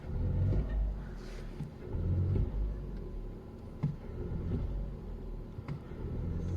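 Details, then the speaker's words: Audi A2 petrol with LPG conversion, cold start: rough, unstable idle that shakes, misfires and drops rpm when throttled, worse after standing longer; caused by a dead cell in the 12 V battery giving low voltage. "it shakes a lot and longer the car has stand still the worse the rough idle is and when i press the first car it starts to drop the rpms a lot and even during normal idling the reps are not constant"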